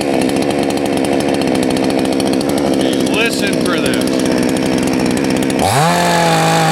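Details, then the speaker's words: Salem Master chainsaw at full throttle, high-speed jet screw turned too far counterclockwise: rough, burbly four-stroking instead of clean scream, with smoke, until it snaps to a steady high tone; high-speed mixture too rich. "smoke is bad okay so we went way too far counterclockwise we got smoke"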